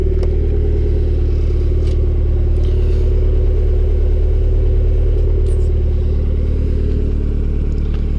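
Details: Honda Civic D16Y7 turbo (skunk2 inlet, Mishimoto intercooler, T3 top-mount manifold, Bosch 550cc injectors), cold start the day after spinning a rod bearing shell: steady hard knock about four per second in time with the crank over idle; engine declared finished.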